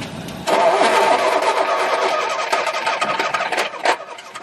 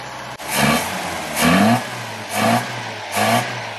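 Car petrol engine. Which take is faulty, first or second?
first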